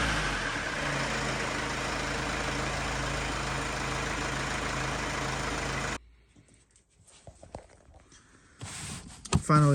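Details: Mercedes C220 CDI diesel after a full filter service, including a fuel filter change with lift-pump priming. A steady idle clatter holds for about six seconds with no misses or hunting, then the engine shuts off, running smoothly.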